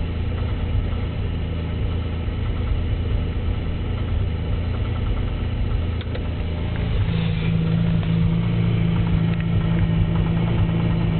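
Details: 3.8 V6 idling with a dull deep knock that started as a loud tick; no misfires, no knock retard, no shavings in oil, 55 psi oil pressure; turned out to be a spun rod bearing.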